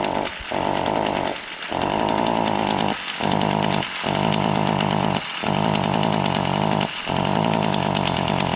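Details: Chainsaw still under warranty: loud, buzzing high-revving saw that stumbles and drops out briefly about six times in eight seconds; something wrong, cause unclear.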